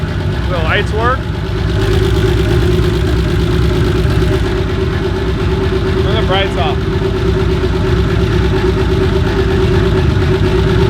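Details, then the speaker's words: BMW E30 with rebuilt turbo M20 stroker (2.7L 325e block, 325i head, Schrick 284 cam, GT3582 turbo), first start after reassembly with correct starter fitted: steady even idle, no starter whirring or grinding; quiet, healthy normal idle. "oh that's the right starter yeah all right well at least it's quiet and it runs hell yeah"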